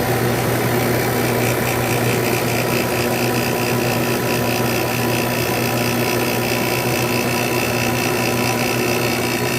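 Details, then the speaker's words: Window air conditioner with a Samsung fan motor, first startup of the season after winter storage, fan medium-low, temperature down: a steady low hum and buzz, a bit loud as the compressor first starts. It then quiets down and begins cooling. "a little bit loud when it first starts for the year without quiet down a very good"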